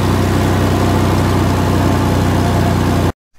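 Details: 2000 Toyota 4Runner after fuel pump replacement and leak fix: smooth, even idle, steady low beat, no stumble or skip until switched off; it no longer skips at idle. Normal idle.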